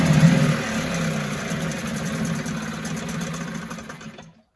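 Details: 1974 Mercury 4 hp single-cylinder two-stroke outboard, made in USA, revived after long storage: steady, even putter with no misses or knocks before shutting off; healthy, sweet easy-starting machine, normal running.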